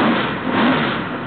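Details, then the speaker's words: Rebuilt L88 427 Chevy big-block, hydraulic roller cam, 9.6:1 aluminum heads for 91-octane pump gas, timing set at 36°: deep, steady, strong roar with no knocks or ticks; healthy, sounds like an original L88. "it sounds really good it sounds pretty much like an old L88 just like it did back in the 70s"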